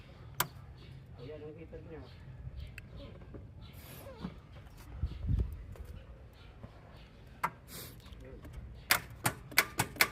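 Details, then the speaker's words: Mitsubishi Adventure 4D56 diesel with good battery, no crank no start; a few sharp dry clicks in quick succession with no cranking follow; starter only kicks and won't turn, solenoid contacts worn and not closing. "So sumisipa lang yung starter niya pero ayaw umikot."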